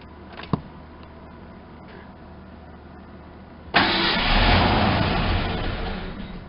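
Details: Ford Ranger pickup sitting about 8 years, new fuel pump and 5 gallons of gas: slow, even cranking, then a short burst of firing that dies. No fuel pressure, later traced to a fuel pump connector not plugged in.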